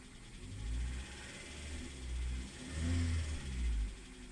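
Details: Hyundai Solaris 1.6: knock present both cold and warm, sounding like a diesel while driving; low rumble swelling and fading with each rev and a hard clatter under load, cause unknown.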